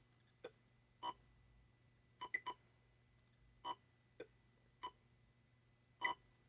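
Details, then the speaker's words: Atari Breakout arcade PCB after an open sound capacitor was replaced with one measuring about 1.0 µF, during play: crisp separate paddle, wall and brick tones over a faint steady hum; the audio problem is fixed. "so I'm going to look at that but the audio problem we had is fixed"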